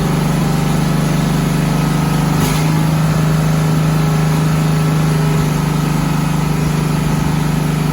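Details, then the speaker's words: 1972 Volkswagen Westfalia bus, first run in months, CB Performance Solex carbs: steady fast engine drone held well above normal idle; high idle blamed on an internal mechanism linked to the choke holding the throttle open. "so as you can hear we've got a lot of problems with revving so these are cb performance uh solex carbs and what's going on is that there's an internal mechanism connected to the choke"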